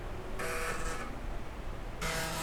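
Two buzzing, rasping bursts, each under a second, as the head steps across the disk: a working floppy drive seeking at boot.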